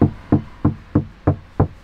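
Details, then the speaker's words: Mercedes C63 AMG door tap test: seven dull, low knocks, deadened with no ring, sounding different from elsewhere; thick body filler under the paint, door really should have been replaced. "Hier hört sich es komplett anders an. Merkst du richtig, dass hier irgendwie mehr Material da ist? Viel mehr Material, viel, viel mehr."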